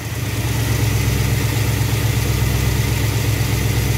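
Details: V8 with Thermoquad carburetor after baseline idle mixture tuning with vacuum gauge, in park, idle trimmed to 970 rpm, good vacuum; steady, even low rumble with no misses or hunting; smooth, healthy idle.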